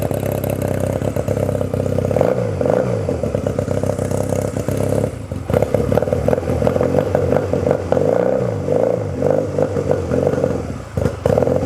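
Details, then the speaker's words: 1997 Honda Rebel 250, cold start with choke on: loud, uneven popping idle with short surging revs; rough until warm, lots of vibration through the footpegs. "this egg does not it's like very uh cold-blooded a lot of vibration coming through the foot packs it doesn't feel that great"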